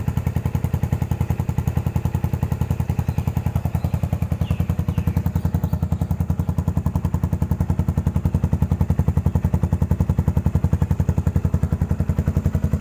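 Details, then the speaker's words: Yamaha SR400 single, 2014, after rust-flaked fuel tank cleaned from long parking that caused stumbling: steady, even thump at idle with a deep exhaust beat, no stumbles or misses, now running normally. "ฟังเสียงกันรถปี2014ครับลองครบ50ปีนะพอซแปเลิศขึ้นเลยนะไม่สะดวดฟังดูไม่สะดวดเหมือนเดิม"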